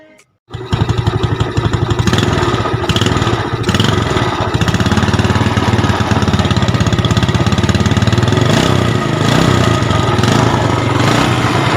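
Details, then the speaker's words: Yamaha Jupiter Z (robot) after rebuild with valve stem seals replaced to stop oil fouling plugs: starts after a brief crank into a steady single-cylinder idle, clutch area slightly rough as it was not opened; normal idle. "dan itu yang suara hasil dirakit Hai dan pada intinya emang rada kasar dikit bagian kopling ya karena kita nggak bongkar bagian kopling dan mesin bola masih lumayan"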